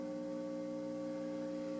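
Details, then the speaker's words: 1984 Takamine EF360C acoustic with Palathetic piezo pickup, amplified: steady low electrical hum with bright overtones persists after repair and saddle shaving; touching the jack reduces it, touching strings and jack together kills it; grounding fault, hum worsened as more strings were fitted. "and you can see that I can touch the jack and it goes away or gets better. If I touch the strings and the jack with my other hand, the hum totally goes away."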